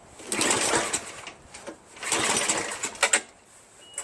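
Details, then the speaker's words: Free Craftsman 5.5HP OHV 26-inch snow blower, first start as acquired, running only on choke: uneven surging bursts sagging between; a clogged part observed, owner concludes carburetor dirty but not badly. "However, it stalled, see? And it's still on choke. And this thing is clogged, so I'm thinking the carburetor's dirty. But not that bad, because it started, you know what I mean? Yep, only starts on choke."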